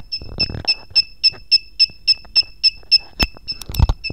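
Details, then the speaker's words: KWS-AC301-100A panel power meter: sharp high-pitched beeps about three and a half per second, perfectly regular, as the over-current alarm trips when the connected load exceeds the 0.5 A set limit. "Giờ mình sẽ lại tắm cái tải vào thì lập tức nó quá 0,5 Ampe thì nó sẽ kêu và nó sẽ nháy chưa"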